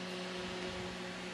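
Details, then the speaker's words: Microwave oven turned on with everything running but not heating: only a steady fan-and-turntable hum and airy rush, with the deeper heating hum missing; the transformer is found to be receiving about 120 V. "everything comes on but it's not producing heat if you listen carefully you don't hear eating humming either now"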